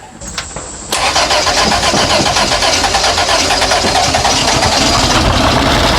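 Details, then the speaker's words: 1962 Chevy Corvair first start after carburetor rebuild, throttle sticking: quick crank, then runs with an uneven, lumpy beat that never smooths, popping on one side; rough running on one bank. "yeah it runs but something is not okay with this side over here it's popping and carrying on"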